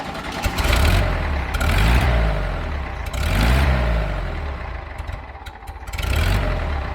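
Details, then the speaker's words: 1975 VW Fusca with an electronic ignition module and the timing just adjusted using the module's LED: the air-cooled engine fires and idles steadily with a few smooth revs, no knocks or misses. "vou dar a partida no motor e finalmente a gente vai poder dar uma volta agora sim com muita dignidade"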